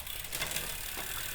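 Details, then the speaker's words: Rear derailleur (MTB or road bike) after cable tension adjustment, running cross-chained on the easiest ring: only a light chain whir and soft freewheel ticking, no grinding or chatter; derailleur adjusted right. "yes, we know we're cross shifting. Yep, screw it though. And here, see, now you don't hear that sound because so don't be sitting there going, "Whoa, that sounds like crap." No, it's adjusted the right way. We were cross-chained."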